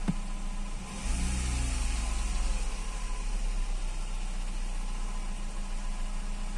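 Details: Fiat Stilo station wagon revved during maintenance while cleaning the LPG reducer. The engine picks up smoothly and settles to an even deep drone with no misses or knocks. The owner thinks he hears a sound from the belt.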